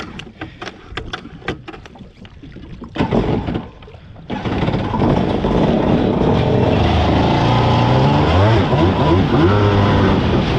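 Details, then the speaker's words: Bullett Racing SXR800 jet ski hull with PJS engine, on the water test after repairing an exploded drive shaft, about 7 minutes in: loud two-stroke buzz with uneven, wavering revs and choppy beat under load; running rough, cause unknown. "Okay, you know what? Feels like it's running a little crappy now. Oh yeah, it totally is."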